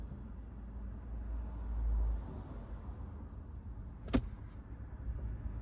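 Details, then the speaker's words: Chevrolet Trax Crossover idling in Neutral at night: low soft even hum, very quiet, none of the drumming and vibration it has in Drive; owner's complaint is suspected passenger-side engine mount. "자, 엔단으로 놓으면 아주 조용합니다. 달달달 두두 강한 엔진 소리 엔진 음, 진동. 엔진 진동 이게 오지 않습니다."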